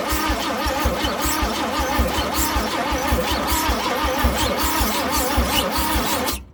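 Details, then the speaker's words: Chevrolet C10 engine, spark plugs corroded, first crank after cleaning battery cable, fuel poured in; starter churns at an even, slightly labored pace, sounds dry and screechy, no firing: cranks but won't start, cause suspected. "It sure sounds dry though. You hear it just screechy, screechy, screechy, and dumping fuel down it doesn't help."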